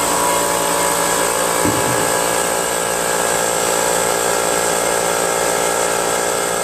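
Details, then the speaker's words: Brute Briggs & Stratton-engine 10-gallon 125 psi air compressor running with cover and air filter on, after check valve and pressure switch adjustment; even pump drone pulsing about three a second, no knocks, running as it should. "the uh cover isolates the air from the blower onto the engine and so you don't go deaf the air cleaner back in air filter that dampens the sound a little bit and keeps that Canal clean from any dust"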